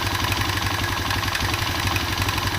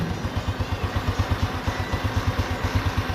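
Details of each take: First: Honda Revo Absolute motorcycle idling after the cam chain was tightened: the cam-chain clatter is gone, but a quick light metallic ticking remains, suspected to be a worn piston (piston slap). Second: Honda Revo Absolute motorcycle after repair of a tek-tek/kletek noise blamed on a worn cam chain and piston; the oil pump was cleaned. It now idles with an even, steady low thump, no chain ticking or clatter, and is very smooth.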